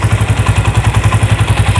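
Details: Honda Tiger 2000 after cam chain repair (previously noisy cylinder block from cam chain): even steady thumping at quick idle with no rattle or tapping; engine sounds healthy.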